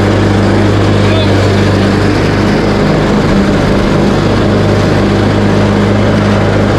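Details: Craftsman T130 riding mower after repair (replaced fuse, new ignition switch panel), started on choke, blades engaged cutting end-of-season grass, deck set high: steady, even engine drone, no misses or knocks, holds speed smoothly while cutting; sounds healthy.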